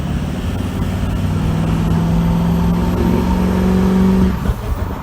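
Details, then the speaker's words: Truck turbo, cleaned earlier, under hard throttle at perhaps 23 psi boost: a deep pull with a rising whistle that cuts off sharply at lift, then a choppy fluttering burble. Turbo compressor surge. "was that do you hear the flutter the flutter right there we did clean this turbo it just fluttered on us"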